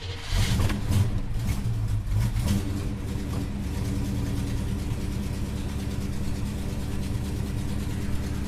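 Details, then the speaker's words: Holden HK engine starting, revving briefly then settling into a loud, raspy idle with a rapid puffing tick from an exhaust manifold leak awaiting repair; otherwise sounds nice. "God, that sounds terrible. Sounds like a pub truck. Well, she sounds, apart from that exhaust leak, she sounds really, really nice."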